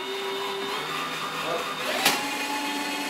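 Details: New Tacklife electric drain auger in forward: steady motor whir with light rising spin as the flexible spring cable feeds out; running normally.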